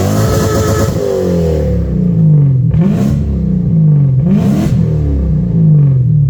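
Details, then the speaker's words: Toyota Soarer 1UZ-FE 4.0-litre V8 after an X-pipe and louvered-core resonators were added: a smooth note climbing and bouncing off the rev limiter a few times, then dropping back. Clean, healthy exhaust. "whee! That sounds tough. That's this video done and dusted. Finally the exhaust sounds how it should."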